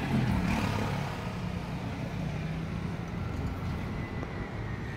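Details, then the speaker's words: E-bike riding after new long and short tie rods were fitted to fix a knock from underneath: a steady rolling hum with road noise, no tok-tok knock or rattle, and the steering linkage sounds tight. "Yan, wala nang alog. Tinesting ko na rin. At wala na yung tok-tok-tok-tok. Ganoon. So okay na."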